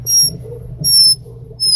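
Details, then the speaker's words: Thread-cutting mandrel turned by hand into a wooden bottle stopper with no wax or lubricant: three sharp, high squeaks. Friction from cutting the threads dry. "You can hear some squeaking. I could probably put some wax on those threads or some lubricant on those thread cuttings, but I am not as of right now."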